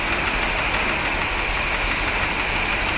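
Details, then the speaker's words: 1973 Corvette 454 big block with rebuilt carb, revived after sitting since the 1980s; lumpy idle with light ticking, cylinder 8 still missing while hoses are pinched for vacuum leaks. Owner suspects a worn engine or valves, not the distributor cap. "i don't think a new distributor cap will fix this it might be that the engine's just worn out i mean it might be you know the valves"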